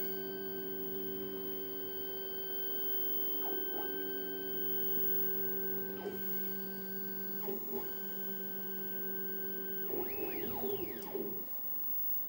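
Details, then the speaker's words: Redvision X-series PTZ CCTV camera after datum self-check, moving fast to preset 3: low electrical hum with short whirring motor sweeps every few seconds; normal pan/tilt motor noise. "it goes to preset free that won't go off at the bottom in a minute it's checked itself and decided to go to preset free now for they are pretty fast"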